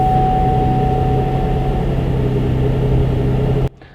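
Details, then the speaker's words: GMC Acadia after cleaning an oil-clogged air intake and the oil fill lid, fixing a choking, rough startup: steady, even idle with a low hum and no stumbling or misfire before shutdown; runs smooth. "Now, let's get her start up and see what she sounds like. Here it goes. And it sounds better."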